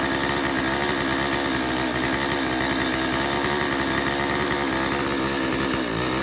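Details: Stihl 025 chainsaw after a previous carburetor kit install, unsuccessful test run: holds a steady, buzzy run but sounds flat and never crisps up, consistent with an air leak into the crankcase.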